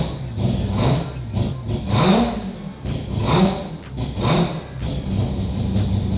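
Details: Mazda FD RX7 with 26B four-rotor engine, just started after fixing a no-fuel-pressure problem: loud rotary blips up cleanly and falls back evenly about once a second, no misfire; normal free revving.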